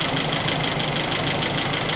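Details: 1961 Triumph TR3A, first start after fitting a new Pertronix distributor with integrated electronic ignition, timing roughly set by ear before the timing-gun check (spec 4° BTDC). A steady, even idle with no misses, knocks or hunting: normal idle.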